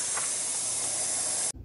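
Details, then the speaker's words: Heavy-duty truck air brake system, a leak tracked down at a fitting: a sharp, steady high hiss of escaping compressed air that cuts off abruptly. Air brake leak. "what you doing now dave tracking down an air leak figure out where it was at yeah right here"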